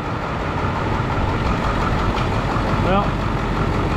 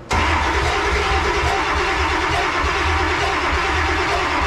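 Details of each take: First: Ford Powerstroke diesel tow truck that wouldn't start, ether sprayed, reassembled and set off for a drive; even, steady diesel rumble at idle with no knocks or misses; seems to be running fine. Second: Ford Powerstroke diesel tow truck that wouldn't start for months, ether sprayed; catches and settles into a loud, lumpy, hunting idle that never smooths out; definitely not running smooth, cause not confirmed.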